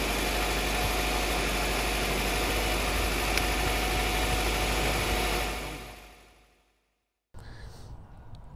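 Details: 1990-97 Honda Accord (1990-1997 model range) after replacing the alternator (battery had gone dead, dim headlights, erratic speedometer): steady, even idle with no squeal, whine or grinding from the front of the engine, no funny noise; runs clean.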